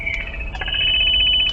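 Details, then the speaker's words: BK M150 mobile radio transmit check with the mobile mic keyed near a portable radio on the same channel: a loud, steady high-pitched feedback squeal for over a second, so basic transmit audio is working properly. "that you get that full um uh feedback uh squeal and that um your voice sounds good."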